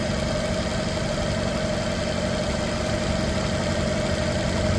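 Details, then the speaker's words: 2021 Maruti Suzuki Dzire petrol/CNG, just started on a cold morning with raised rpm coming down, check light on, codes P0171, P0300 and P0302: lumpy, stumbling idle with vibration; cylinder 2 misfire, faulty ECM given as the cause. "थोड़ा सा engine high है। क्योंकि अभी सुबह-सुबह का समय है। इस वजह से थोड़ा इंजन आरपीएम हाई है। अब डाउन हो रहा है। मिसिंग है गाड़ी।"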